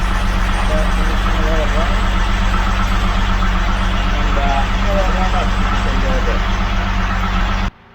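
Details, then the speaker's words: Classic car on K-Seal, high miles, started after likely flooding the carbs: heavy, loping, uneven idle rumble settling steadier as it clears; oil pushing from dipstick tube. "burning smooth out now but definitely you know it's a little plug in those cylinders and you just don't have oil in it"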